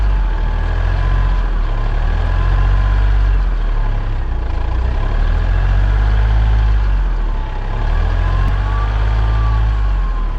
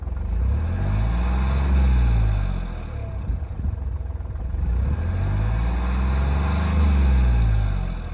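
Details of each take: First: Hyundai Matrix diesel with over 203,000 km idling and being revved, with white/black exhaust smoke. A deep pulsing rumble carries a faint, wavering whistle from the failed turbocharger, which needs replacement. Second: Hyundai Matrix turbo, over 203,000 km, after turbine replacement and oil change: two clean, even revs climb smoothly and fall back to steady idle with no whistle or stumble; the whistle and smoke are fixed.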